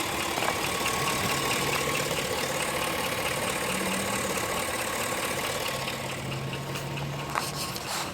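Steady idle with a light, fairly regular tick-knock about twice a second riding over the engine; a knock, source not pinned down.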